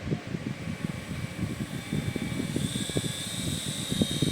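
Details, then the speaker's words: 24-volt DC motor run at full speed on test, estimated at 3000–3500 rpm by ear: a fast, even buzz with a thin high whine and no scraping. Healthy running with strong torque. "तो देखिए मैंने इसको पूरी speed में जो है घुमा दिया है और आप इसकी आवाज़ से अंदाज़ा लगा सकते हैं कि ये 3000 3500 आरपीएम में घूम भी रहा है।"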